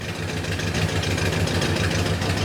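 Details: 1971 Plymouth Road Runner, 383 V8 with 727 automatic, first start after sitting off the road since 1989: uneven, lumpy, stumbling idle, suspected misfiring with perhaps only three cylinders firing; new plugs are expected to help, cause unconfirmed.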